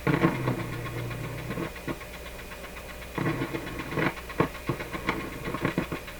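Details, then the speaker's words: Nordmende Norma Luxus tube radio with low output and a weak-testing EL95 output tube: irregular pops and crackles over a low hum, still present with volume turned down, so the noise arises after the volume control. Intermittent crackling output, cause not yet found. "wow sounds like the radio's still working let me tell you it's definitely picking stuff up it's still a noisy when i turn the volume down so the noise is coming after the volume control"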